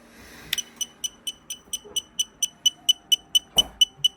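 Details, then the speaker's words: SpeedyBee F405 Wing flight controller on INAV, receiver on S-Bus via crossfire connector, pre-arm angle switch set: rapid high-pitched beeps about two per second from the onboard beeper, not motors, when arming; motors won't arm, cause unknown. "not coming from the motors. That's coming from the beeper. And it won't arm the motors at all."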